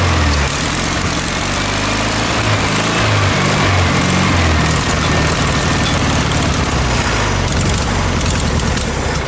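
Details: VW Beetle air-cooled flat-four swapped into a junkyard motorcycle build, fed from a mocart fuel tank and described as a little heavy on two-stroke oil, settles into an even, steady low putter with no knocks or misses. Normal idle.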